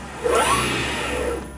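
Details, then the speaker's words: AC50 motor on a Curtis 1238 controller, 72 V nominal EV conversion, spinning with no load: quick rising whine on throttle, then a fast falling note as programmed regen brakes the motor to a stop. Normal spin-up and regenerative stop. "You can hear the regen stop the motor faster than the gauges can keep up."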